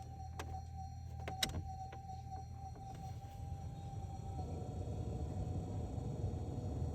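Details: Ford EL Falcon heater/demister fan after blower resistor replacement: a few switch clicks, then low, steady fan whoosh holding even on lowest speed; normal blower operation restored.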